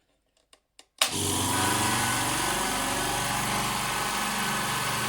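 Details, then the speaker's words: D KIEI 50-litre "silent" air compressor: switch clicks, then the motor starts and settles to a steady even hum with no knocks or rattles; owner calls it fairly quiet. Normal running. "So I don't know how that's coming across on camera, but that's, you know, that's fairly quiet for me."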